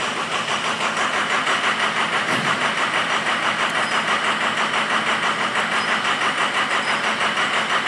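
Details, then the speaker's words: 6.0L Powerstroke just restarted after a repair for a low-ICP no-start. Rough, lumpy idle with a hard thump about three times a second: multiple cylinders misfire from air in the high-pressure oil rail, expected to clear with revving. "See how it's running right now? One of these cylinders has too much air in it. The high pressure oil rail. Alright, you can see we got multiple cylinders misfiring here. That's from the air in the system."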